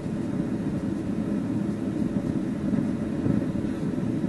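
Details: Newcomb TR-1656-M record player amplifier, warmed up at high volume: steady hissing rush like a waterfall at a constant level. Its source is not yet found; input selection seems to affect it.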